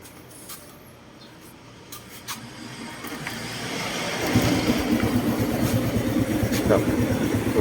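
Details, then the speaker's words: Honda Wave 110i after valve clearance set tighter: quiet, then fires and settles into an even idle with no valve ticking; the earlier loud clacking from the top end is fixed. "โอเคแล้วครับผมเงียบเลยนะ"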